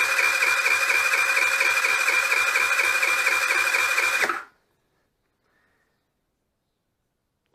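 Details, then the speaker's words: Nearly new GY6 4T scooter at 900 km that won't start, compression test: quick, even cranking at about two beats a second with no labored strokes, then silence. No compression. "nie ma sprężania a nie ma sprężania na takim stężeniu nie zapalić"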